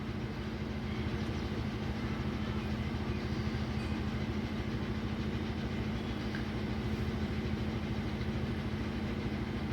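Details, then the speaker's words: Hyundai i10 petrol engine at idle with heavy vibration and check engine light on: a rough, lumpy idle with an uneven thump about three times a second; a scan tool shows cylinders 2 and 3 misfiring. "गाड़ी में vibration बहुत ज्यादा है engine misfire कर रहा है"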